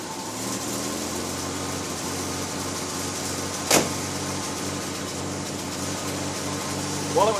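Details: Chevy Styleline with 216 engine after a new water pump; the old pump's worn bushing had made the fan wobble with a loud noise. Even, steady idle with a smooth low drone and no metallic rattle from the fan: normal idle, noise fixed.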